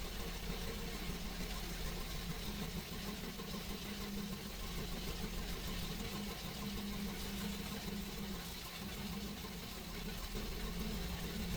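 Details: GMC 6.0 L L96 gas V8 idling: uneven, stumbling beat that stays rough when revved. Engine misfire.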